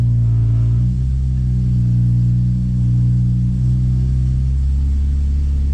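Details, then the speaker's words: BMW S54 engine with dual section 1 exhaust mod, cold start idling near 1100 rpm: heavy steady low drone and body vibration; exhaust rubbing on the transmission tunnel, an exhaust leak also present. "bring up the idle a little bit not that bad so it's rubbing on the transmission tunnel right about there"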